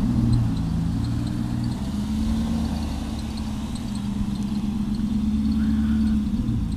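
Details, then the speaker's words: Volvo 240 wagon with LM7 V8 swap, MegaSquirt 2 engine management, four-speed Borg Warner transmission, first time out under its own power: a smooth, even V8 burble holding steady at idle with no ticking, knocking or misfire; it sounds great. "okay fair enough she sounds great sounds great"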